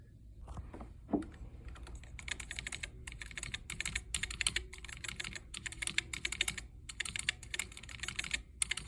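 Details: Commodore SX-64 keyboard with new membrane, after trimming membrane edge rubbing against the posts to cure scratchy keys: clean, crisp key clicks in quick typing bursts with no scratching or dragging; works normally.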